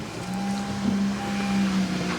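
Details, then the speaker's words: After fitting a better-connected replacement battery terminal clamp, Honda Civic Si (owner reported it died while driving) runs with a low even drone and no alternator whine, charging at 14.5–14.6 V; whine had been caused by the faulty clamp. "You also hear that the alternator is no longer making that whiny sound, which means it was indeed our fault."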